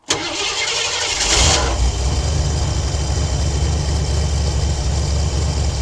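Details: Ford Econoline 1973 302 V8 with Edelbrock carburetor and mechanical fuel pump, first start after gasket rebuild and fuel line repair, no air filter, cold on choke: quick crank, catches cleanly and settles into a steady, even idle with no misses or knocks.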